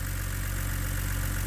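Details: BMW E89 Z4 3.0 N52 straight-six (40,000 miles) warm idle after a stuck timing chain tensioner was replaced; oil burning off the manifold is being checked for leaks. Steady low, even hum with no tapping or chain rattle; healthy idle.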